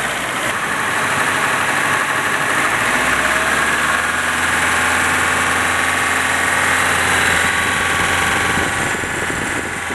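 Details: Nissan 200SX idling: light, fairly even tapping of about four per second from the top end under a hiss; engine knock suspected from VVT, cams or spray bar, not confirmed.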